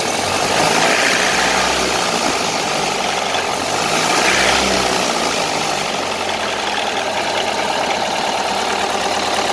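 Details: 1931 Ford Model A pickup four-cylinder idling: steady, fairly regular knock about four per second over a rough engine; troubleshooting just started, source not yet found.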